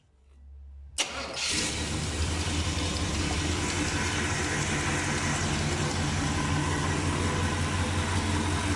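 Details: Classic V8 with TH350 automatic, new seals, Hooker headers and dual straight exhaust with Flowmaster Super 44, first start after years standing; cranks briefly, catches at once, deep steady even burble with no misses or knocks; normal start and idle.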